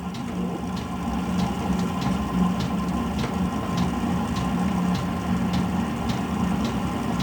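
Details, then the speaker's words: Brand-new Chinese diesel heater, set to power 1 then 2, starting up with the microphone right by the heater. It smokes on startup but runs flawlessly once going. Steady fan hum and faint regular fuel-pump ticking, with the flame uneven and faltering; cause unconfirmed. "I'll put it right by where the heater is, and you will hear the flame start. That noise you hear is the flame start."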